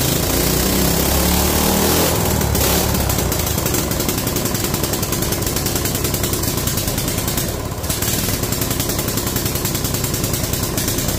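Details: Free mini bike, single-cylinder, after draining water from the carb float bowl, throttle not working: steady even putter at about three and a half beats a second; idles fine.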